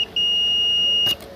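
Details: Car ECM (1032K1) on the bench, supply line feeding the MCU: a steady high beep lasts about a second as the probes bridge the line; both shorts lie inside the MCU, which must be removed to fix.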